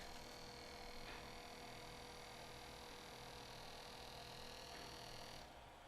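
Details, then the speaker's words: Sony TCM-5000EV three-head portable cassette recorder that will not play: faint steady motor hum with no capstan, pinch roller or reel movement, then auto shut-off after a few seconds; drive belts broken, needs a full set of belts. "I've got no movement on the capstan or the pinch roller at all, but I hear the motor running."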